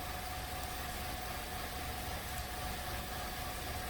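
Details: 2016–2017 VW Golf 1.8 with hard cold start, long crank, random misfires and about 30% negative fuel trims: a steady idle drone with a slightly uneven, loping beat and no knocks; injectors seeping and carbon-fouled intake ports suspected, cause unconfirmed.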